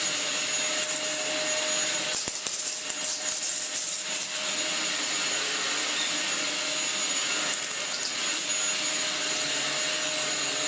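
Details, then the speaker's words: Dyson DC04 Absolute Plus upright vacuum after motor replacement and a different clutch with fresh belts fitted: steady, even high rushing whoosh with constant motor tone and brief handling scuffs; runs normally, repair a success. "I think that's a success. It seems to work fine, even with its slight repairs, which is always a bonus."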